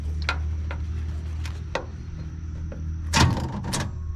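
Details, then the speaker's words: 1986 Chevy C10 junkyard pickup, push-button start: a few isolated clunks from the starter with a low hum behind them, but no cranking; the starter tries to engage and the engine seems locked up. "okay uh the starter tried to engage but didn't do anything"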